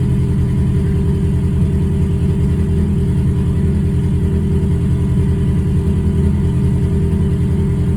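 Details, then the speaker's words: Ford Focus at idle, after recent spark plug and fuel injector replacement; timing suspected off. Low idle with a faintly uneven loping pulse about twice a second; scanner shows misfire count six, cylinder three misfire. "Misfire count six. So is she misfiring? Really? So, we have a misfire detected cylinder three."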